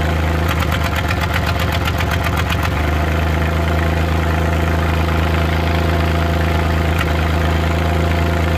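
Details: Suzuki Multicab F6A engine at idle: random "tak...takatak...tak" misfire, uneven stumbling taps breaking the rhythm in the first few seconds, then steadier running; vibration also shown at 25% throttle; cause not stated.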